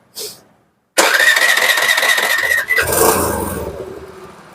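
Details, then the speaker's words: Suzuki Access 125 BS6 scooter, idle air valve screwed in too far during rpm fix: fires and catches only with throttle opened, revs sag away once throttle is released. "Waste பண்ணா start ஆகுது ஆக்சட் குடுக்காம start பண்ணனா start ஆகல ஆக்சட் விட்டா அப்படியே ஆகுது"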